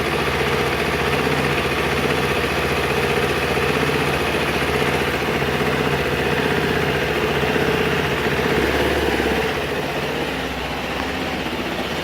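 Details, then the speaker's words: Engine on a wood-gasifier-fueled Ninja, warming up, sitting at idle, not driving or under load, running on wood gas before air-intake adjustment: steady, even low throb, no knocks or misses; normal idle. "sitting IOA we're not driving yet we're also not pulling real hard either he's running on what gas fellas"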